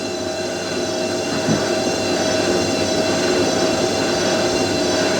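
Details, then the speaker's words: Hotpoint 9530 washing machine after carbon brush replacement, final 1000 rpm spin: loud steady high-speed spin with even whine and slight screech from new bedding-in brushes; motor pulls strongly; normal. "the new uh brushes make the motor sound like really powerful they [Music] do sounds proper doesn't it bit screechy but"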